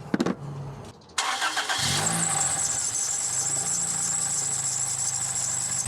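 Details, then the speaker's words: 2004 Toyota Celica GT (1ZZ), power steering system just refilled with ATF, first start: engine cranks and catches, then a steady high-pitched squeal over idle from the belt, which has fluid on it; owner hopes it goes away. "mind that that's a squeaky Bell it has some fluid on it but I'll try go away"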